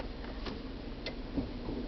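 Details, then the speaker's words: 1999 GMC Yukon 4x4 after replacing faulty dash 4WD switch (Service 4WD light, stuck in 4WD) with Dorman 901-130: crisp clicks as transfer case engages and disengages through 4-high, 2, auto, neutral, 4-low; working fine, light no longer on. "4-wheel drive engage and disengage, and so it's working fine."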